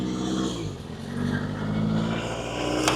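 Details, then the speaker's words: Toyota MR2 with 4AGE engine, run after months sitting: idle rising and dipping, with a thin steady whine and an unidentified mechanical noise; owner suspects wrong coolant or air in the coolant; oil pressure sensor unplugged. "And it's doing the up-down idle thing that MR2s like to do when they don't have the right coolant or they have air in the coolant or something like that. Also, there's a mechanical noise."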